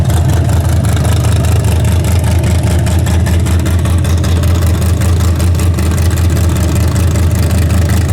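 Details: Freshly rebuilt 406 V8 during break-in, 5 min 15 s into a planned 15-minute run: loud, steady deep rumble at fast idle with an even pulse, no ticking or knocking, healthy. Open plenum fitted; crew thinks it may need a bigger carburetor.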